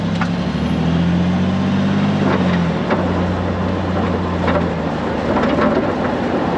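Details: Range Rover L320, camera under car: scattered sharp rattles through road rumble over bumps at the rear; owner suspects exhaust or something further along, exhaust and nearby parts by the camera ruled out, a fix tried without success, source unfound.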